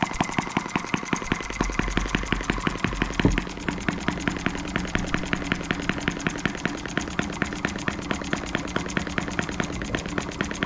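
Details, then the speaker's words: New Stirlingkit model M12B engine on its first start and run, throttled down to its lowest idle: crisp, evenly spaced exhaust chuffs at a slow steady beat, no knocks or misses; normal idle. "i think that's as low as we can get it to idle open the throttle up a little bit"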